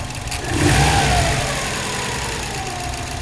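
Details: Subaru bugeye WRX engine blipped then settling to idle with a light, fairly regular tick about four per second; source unclear.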